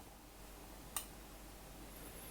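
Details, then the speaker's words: Zhong Yuan 1.6 L electric pot (17 cm), no heat adjustment, boiling water: quiet hum, then a single sharp thermostat click as power, which had dropped to 0, resumes at around 603 W. Normal cycling. "มาดูกำลังไฟตอนนี้ดูเหมือนว่าเขาจะหยุดไปพักนึงนะครับตอนนี้พลังงานเป็น0เหมือนกับไฟตัดไป"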